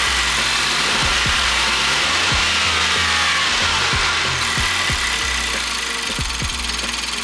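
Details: Nissan Note E12 engine at idle: sharp ticking about three and a half times a second over a raspy hiss from the alternator, worn and needing replacement.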